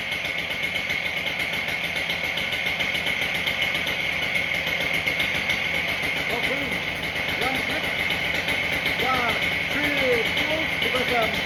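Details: Husqvarna K770 two-stroke cut-off saw, new spark plug, running after a carburetor soak and clean; steady fast idle buzz with no misses or stumbles; running normally.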